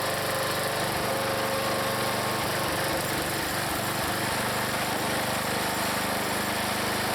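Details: Log splitter's small engine, in cold weather splitting wood: steady buzz that briefly bogs as the splitter loads, then recovers cleanly; normal running under load.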